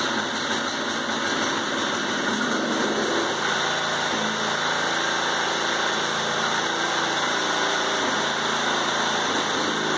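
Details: 1980s Honda rototiller, first start in about ten years on old clean oil, started on the second pull with the choke; the small engine hums along steadily with no knocking, surging or misfire; it runs normally.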